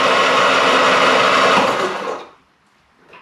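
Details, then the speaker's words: Classic Mini Van engine, off the road 25 years, bores oiled: quick even starter whir for about two seconds, no labouring or hard stop; engine spins freely, not seized. "Well, that's a blooming good start, isn't it?"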